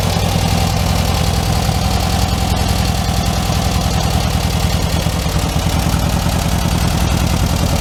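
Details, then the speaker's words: 1967 Volkswagen Karmann Ghia convertible, air-cooled engine, first real start after oil cooler leak repair, no oil leaks; steady, even idle with a smooth low putter and no knocks or ticks; normal idle. "all right well no oil leaks it runs and drives just fine runs just fine"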